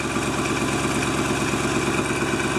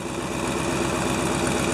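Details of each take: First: 1997 GMC Suburban at about minus 6 degrees, just after fuel filter replacement: starts quickly despite no fuel in the lines and settles into an even, steady V8 idle with no misses or knocks; normal idle. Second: 1997 GMC Suburban at idle, about minus 6 degrees: sharp rhythmic puffing tick keeping pace with the firing beat from an exhaust leak after the catalytic converter; owner considers it minor, not affecting anything, left unrepaired.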